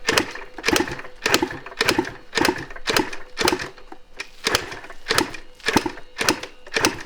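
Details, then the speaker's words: 1986 Yamaha IT200 two-stroke enduro with lots of oil dumped into the cylinder, choke on: sharp, uneven pops just under two a second, a little smoke, firing briefly but never settling. Engine fires but won't keep running. "It's sounding more throaty. Yeah, I dumped a lot of oil into this cylinder when I first got it, so that probably has to work its way through. Oh, look. A little bit of smoke. It wants to run."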